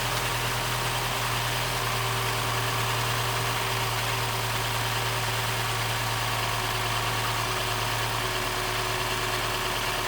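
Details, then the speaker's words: 2015 Mini Cooper S rebuild, first start: idle sags and drifts from 1,000 to about 750–800 rpm, uneven rather than steady; air getting in because the induction hose was not connected. "It's a bit, the idle isn't, sounds like there's air getting in. Revs are going from 1,000 to about 750 to 8, which normally means there's air getting in, but I need to keep it running."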